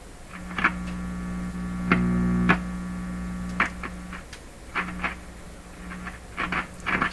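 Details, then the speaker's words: GE clock radio model 913-D tube set on isolation transformer, input shorted: steady low 60/120 Hz hum controllable by the volume control, broken by scratchy crackles and pops; dirty volume control. "You can hear the dirt in the volume control. Okay, this is a wholly unsatisfactory situation."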